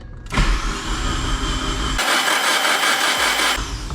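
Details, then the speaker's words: Mitsubishi Evo 4 at 142,000 km, first start attempt, cranking with plugs out: starter spins the engine freely at an even pace with no clatter or grinding, no fire; sounds healthy, though it may have a dead cylinder, compression test planned. "All right, plugs it is. Sounds healthy. No fire."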